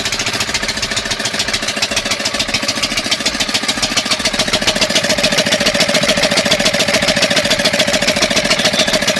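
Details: 5 hp single-cylinder diesel engine after tappet (valve clearance) setting, heard near the silencer outlet: steady, even thumping with firm regular firing pulses; normal running.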